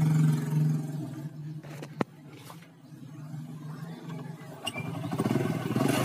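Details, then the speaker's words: Honda Grand/Legenda small single after replacing the worn, loose cam chain that caused the rattling; even idle with only light valvetrain chatter, no rattle, quiet and healthy. "nah guys ini sudah dipasangkan sekarang mah gak terlalu bunyi ya guys gak terlalu berisik atau gak terlalu elektrik ya guys"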